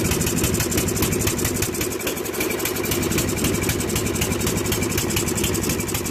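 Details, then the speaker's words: 2001 Murray Select LT riding mower after oil change and carburetor cleaning (float needle stuck open from ethanol, gas flooded crankcase): steady single-cylinder putter, no misses or knocks, idle still too fast even with throttle lowered all the way back. "so lower the idle a little see it's all the way back still running too fast"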